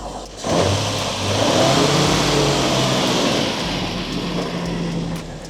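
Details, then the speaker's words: Nissan Stagea RB25 NEO six-cylinder petrol after MAF cleaning, slight white smoke at startup: uneven stumbling misfire heard from inside, not fixed, no check engine light; owner suspects vacuum leak, fuel system cleaner next. "Could be a vacuum leak. No, it's not fixed."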